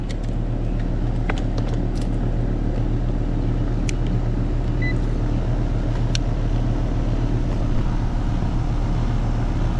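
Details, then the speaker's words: HVAC condenser fan motor after repair, found whining with dry-sounding bearings during preventive maintenance: now a steady, smooth whir with no rattle or bearing growl, running healthy. "and now it sounds so much better all right so that turned out just fine"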